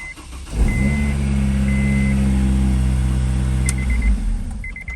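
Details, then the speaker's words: Freshly installed replacement starter, negative battery terminal cleaned: short crisp crank, engine fires at once and settles to a smooth idle with warning chimes; starter now sounds like new. "sounds like brand new let's try that one more time [Music] that is so much better"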